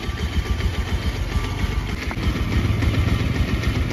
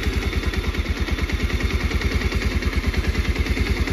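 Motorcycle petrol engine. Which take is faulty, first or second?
first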